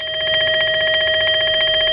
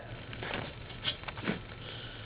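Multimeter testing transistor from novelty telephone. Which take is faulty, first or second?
second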